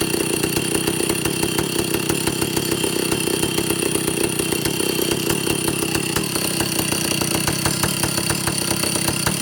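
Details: Vintage Stihl chainsaw, second test run after air leaks fixed, initial carb settings high 3/4–1 turn, low 7/8–1 turn, idle target 1,800 RPM, top no more than 10,000. Steady, fairly low buzz never reaching a full scream; owner suspects carburetor third circuit.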